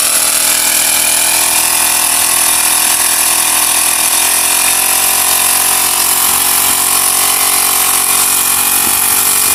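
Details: Honda GX35 grass cutter four-stroke after carburetor cleaning: steady high buzzing speed, no stumbling or surging. Spark plug, fuel filter and clutch were fine; the dirty carburetor and fuel passage had caused stalling. Fuel delivery restored and it runs healthy.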